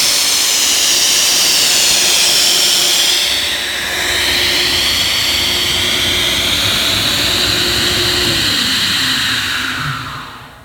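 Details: Ingersoll Rand SSR-EP30SE 30 hp rotary screw air compressor on 460 V three-phase, running to show it works: a loud, steady airy hiss at a constant tone that drops away as the unit winds down; normal running.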